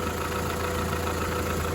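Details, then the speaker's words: Volkswagen Polo 1.4 petrol, about 20 years old, 49,916 miles, bought from salvage, coolant found empty and refilled: hard, busy diesel-like clatter at idle, source not pinned down. "It actually sounds like a diesel, even though it's petrol."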